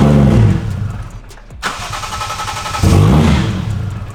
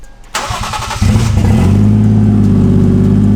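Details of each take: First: Lexus IS300 with 1JZ swap, aftermarket ECU Master, drive-by-wire throttle issues, check engine light for IAT and drive-by-wire: cranks, catches, surges unevenly, revs rising and sagging, no steady idle; owner suspects drive-by-wire setting, cause unconfirmed. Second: IS300 with a 1JZ swap, drive-by-wire deleted after pedal position sensor trouble: short crank, then a steady, even idle at about 1100 rpm with no misses and no check engine lights; healthy idle.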